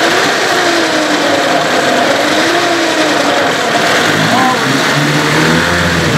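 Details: Evinrude/Johnson 15 hp outboard running steadily after driveshaft swap: thin high whine over the exhaust holding through the run, less bad than with the other driveshaft but still there; source undetermined, motor deemed parts.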